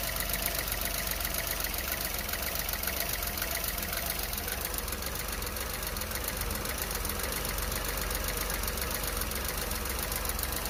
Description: This is a video showing the cold-start idle fluctuation and hesitation of my 2023 Renault Clio Evolution 1.0 TCe X-Tronic with 25,000 km.